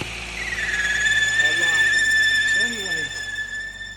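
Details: 2013 Mercedes-Benz GLK350 at idle with a steady high whistle near 1.8 kHz over a quiet engine, check engine light on.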